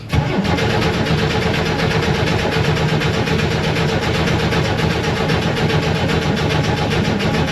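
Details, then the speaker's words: 1967–69 Chevrolet Corvair sitting unrun for years, cranking on a jump box to draw fuel through a long line from the front tank to the rear engine: steady even starter churn that never catches; crank no start. "so now I have to crank it to get gas from the fuel tank in the front to the engine in the back it's like an 8T long fuel line so we'll see we'll keep trying"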